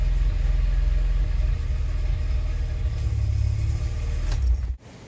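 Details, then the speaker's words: Mk2 VW Golf after a misfire and high idle fix, cold engine running at about 1200 rpm on cold start enrichment, steady low hum, then switched off: normal cold fast idle, no longer excessively high. "So how it was running then is absolutely perfect. That's how you want it. Because the engine was cold, it was running at 1200 RPM, so it was activating the cold start, but it wasn't running ridiculously high like it was before."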